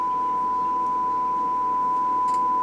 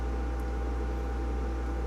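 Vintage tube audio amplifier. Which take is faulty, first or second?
second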